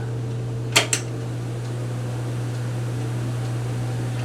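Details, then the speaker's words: Fan with bearings at least 40 years old, kept in a fixed spot and rarely used, running on medium: steady low motor hum with even airflow and a couple of light clicks early on; normal running. "now that's the sound of a childhood somewhere in the 80s right there and high moves a bunch of air"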